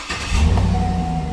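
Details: 2007 GMC Yukon Denali XL 6.2 liter, after no-crank no-start from a downed low-speed communication network, connectors and splice packs replugged, no parts replaced: quick crank, catches cleanly and settles into a smooth steady low rumble; starts and runs healthy.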